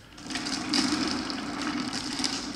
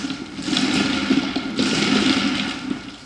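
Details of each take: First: Wooden flat thrust bearing running exact 5/8" steel ball bearings instead of uneven 9/16" glass marbles: steady, even rolling rumble with light hiss, much smoother than the rough, noisy marbles. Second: Wooden flat thrust bearing running on glass marbles sold as 9/16 in. but varying from under 9/16 to over 5/8 in.: loud, gritty, rough rumble as the uneven balls roll in the groove.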